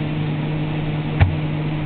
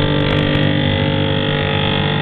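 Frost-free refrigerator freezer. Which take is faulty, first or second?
second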